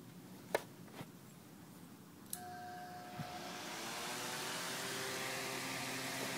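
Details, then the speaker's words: Small fan run on an 1100 W modified sine wave inverter clicks on and spins up with a steady electrical buzz and hum over the airflow; the motor runs inefficiently and hot, with no hum on a pure sine wave inverter. "I'm sure you can probably hear that humming sound and it means the motor is running like super inefficiently it's kind of it runs hot"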